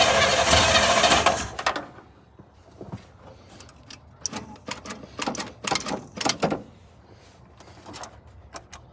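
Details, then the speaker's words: 1980 GMC Sierra Classic / Chevy C20 crew cab pickup with 454 big-block V8: catches on primer fuel with a second and a half of rough running, then quits leaving scattered ticks; starts briefly then dies, tune-up planned. "got it to run for a little bit that's promising it's first time I heard this thing run actually definitely sounding good"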